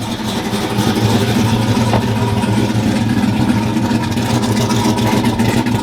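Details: Loud, steady, even idle with a deep, consistent beat and no misses or knocks, on first start after fixing a misfire and replacing front suspension; no check engine light, good oil pressure; normal idle.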